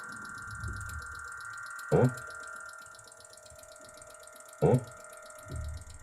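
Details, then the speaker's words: Hitachi TRK-510ER radio cassette playing a tape; the seller reported a boop sound and a non-working deck. A steady buzzing drone under the tape with a couple of dull thumps: an odd playback noise of unknown cause. "the tape spindles on going around and we're getting a very strange noise coming out of here"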